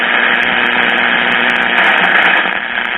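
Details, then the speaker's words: Buzzing hiss interference over weak, barely audible AM stations (670 faintly heard, midday daytime reception) on a repaired RCA 14BT1 battery-operated tube radio with a substitute 1H5-type tube; noise wasn't there before, source not yet found. "hear all that noise that wasn't there we might pick up something i think that 670 just barely there the other one it's hard to get but with all the noise"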